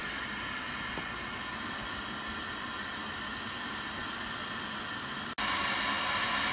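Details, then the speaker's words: Old CRT TV after its broken speaker was replaced: a steady, even static hiss that steps clearly louder partway through as the volume is raised, with clean output. The new speaker's output is normal. "Look at that. sounds wonderful. Volume works. That's great, dude."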